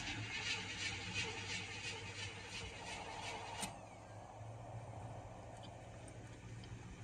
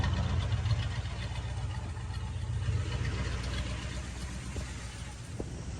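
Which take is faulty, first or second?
first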